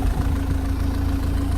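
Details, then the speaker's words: MG TF idling about 15 minutes, nearly at operating temperature, no engine warning light, manifold smoke gone: smooth, even low burble and steady hum with no missed beats or knocking, though some unidentified mechanical rattle underneath. Normal idle. "okay right so she's been ticking over for about 15 minutes almost up to temperature oil starting to move so she's getting up to temperature still no sign of engine any engine warning light"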